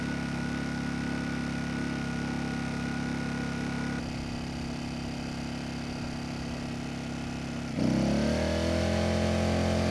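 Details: Kipor KGE 1000Ti inverter generator, warmed up, loaded toward its 900 W maximum including a sudden load (THD 0.6% rising to 2.3%): steady drone, revs climb smoothly and settle with no hunting or stumble. Normal running under load.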